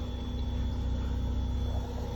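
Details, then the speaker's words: 1997 Subaru Outback after repairing a split fuel line and zip-tying the fuel pump back to its assembly: a low, steady rumble with some fuel gurgling audible; it now runs smoothly. "can kind of hear the fuel gurgling in there we got her running good replace that fuel line"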